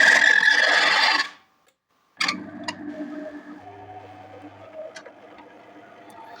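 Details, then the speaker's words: Delonghi Caffe Corso coffee machine at power-on: harsh loud grinding about a second, then faint clicks and whirs; owner suspects brew-unit gearbox, dry or non-priming pump, or clogged system needing descaling. "Шум с редуктора заварочного блока. И по звуку как будто помпа сухая, либо не прокачивает, просто трещит."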